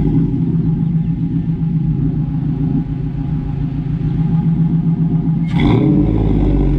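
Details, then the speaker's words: LS-swapped 2006 Toyota Tacoma with 5.3 V8 and 4L60: deep steady idle burble with rough rasp, even and smooth; healthy engine, aftermarket muffler too raspy, not extremely loud but clearly not stock. "it's not extremely loud but you could definitely tell it's not the stock engine"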